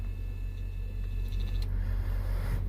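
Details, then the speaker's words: 2002 Buick LeSabre windshield wiper motor, bench-tested plugged in, grounded, ignition on: faint even electric whir runs steadily, then stops cleanly at home position; motor is good, normal operation. "you can plug it, make sure you ground it, and turn on your ignition. And uh I can show you that it's uh turning."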